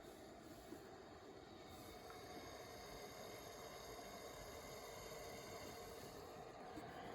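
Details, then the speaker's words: Vicks VWM845 warm mist humidifier on high, drawing 274 watts, water heated and steaming: quiet, steady hiss of steam with a faint gurgle underneath, no rattle or buzz; about as loud as it gets, running normally. "Nice warm air. That's about as loud as it gets on high."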